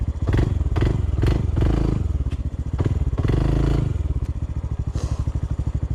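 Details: Honda CT125 on a steep uphill trail under power: heavy thuds about every half second under load, then a steady low beat; knocks under power, no power to climb hills, a failing rod bearing suspected, unconfirmed.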